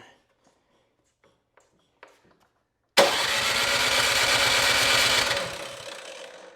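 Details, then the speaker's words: Cub Cadet 2X 26-inch snow thrower, 675-WUB engine, on choke at about 3/4 throttle after three primes: electric starter whirs steadily about two seconds, never catches; no start. "Okay, at this point it's not starting, so the next step you would want to is drain the carburetor bowl."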